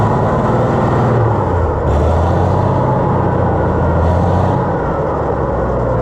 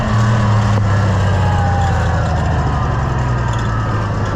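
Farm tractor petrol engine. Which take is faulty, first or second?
first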